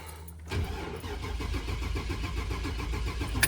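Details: 2000 Chevy Express van with a crank no-start; it originally ran poorly and bucked. The starter churns steadily for about three seconds but the engine never catches. The scanner shows no cranking RPM.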